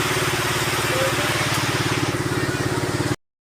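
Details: Suzuki Raider 150 after fixing a hard start traced to a weak battery, now charged: small single thumps along at a steady, even idle with no misses or knocks; normal idle.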